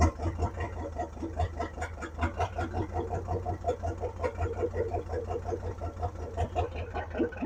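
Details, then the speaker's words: 1957 Ford Thunderbird parked about 60 years, carburetor bowls filled, accelerator pump not working: uneven chuffing as it cranks and tries to catch but never settles; massive fuel leak from carburetor base or bowl, carb kit ordered. "that was it we have a bad fuel leak but I want to do that one more time and hopefully not burn the car down"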